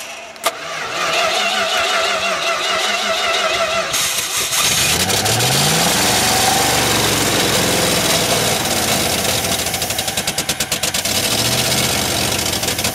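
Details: Dodge D200 truck after a long wiring and fuel repair: silent, then cranks, fires and catches into a rough uneven idle, needing gas to keep running; it runs but still needs a carburetor kit.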